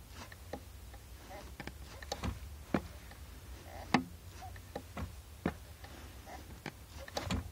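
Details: Clutch pedal moving in a quiet car with sharp single clicks, roughly one to two a second: the clutch master cylinder is clicking.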